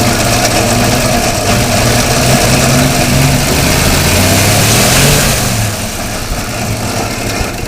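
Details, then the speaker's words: 1957 International truck after its fuel pump was taken apart and the gas lines blown out, with a soft plug popped at the back of the head. It idles steadily, picks up on a throttle blip, then settles back to an even idle; normal idle, runs well. "started it up actually drove it around the block but uh it popped a soft plug in the back of the back of the head so now we got to fix that but we'll fire it up anyways fcker runs pretty good"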